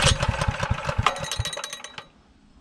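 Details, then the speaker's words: Newly acquired saw engine started on and off choke with fuel on: uneven chugging for a couple of seconds then dies; owner suspects an oil-saturated aftermarket air filter blocking airflow. "Probably not supposed to sound like that. Let's go see what's up."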